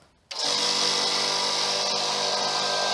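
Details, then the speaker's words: Small free air compressor found put out for scrap: it runs but isn't building any pressure after earlier reaching about 30 psi; air can be felt flowing in and out at the inlet. Steady, hissy high-pitched motor drone with no change in load. "it runs but it's not building any pressure and on the inlet here you can feel it flowing in and out so i thought i'd have a little look inside and see if i can see anything"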